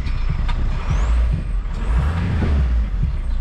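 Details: Junkyard VW MK4 Golf TDI wagon with a loose tensioner; deep diesel clatter rises with each throttle blip while a thin whistle climbs over it; the turbo spools up cleanly.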